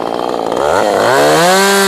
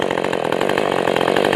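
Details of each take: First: Ported Husqvarna 450 Rancher chainsaw: screams at full revs, drops back, then idle hangs high and creeps up instead of settling; cause unknown, owner thinks it can be tuned out, power fine. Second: Ported Husqvarna 450 Rancher chainsaw with Bryce's cylinder, tuned after hard starting, low jet turned back in: crisp two-stroke howl held steady at full no-load revs, about 12,900 rpm; healthy high-rpm run.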